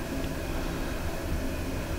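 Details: Newly installed 80,000 BTU Mr Heater Big Maxx shop heater with double-wall insulated flue, thermostat fan on auto: a steady, even whoosh of air with a low hum and no ticking, scraping or wobble; the blower runs smoothly and sounds healthy.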